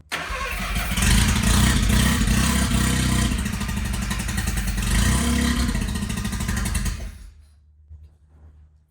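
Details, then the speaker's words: Mazda RX-7 rotary with messed-up wiring, starter hot-wired: engine catches and roars unevenly for about seven seconds on starting fluid, then cuts out abruptly; fires only on starting fluid and stalls. "it just did it just popped off obviously it was starting fluid and that's not good for these engines"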